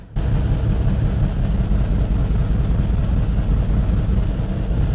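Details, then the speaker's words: 2010 BMW 535i xDrive wagon (E61), auction-bought non-runner, started on a jump box; owner suspects another bad high-pressure fuel pump: deep, lumpy idle with uneven pulsing, running on only some cylinders; rough stumbling idle. "oh it's idling on some number of cylinders we're just gonna let it let it do its thing it's Cam and hard and maybe it'll smooth itself out you know or stall it could always do either one"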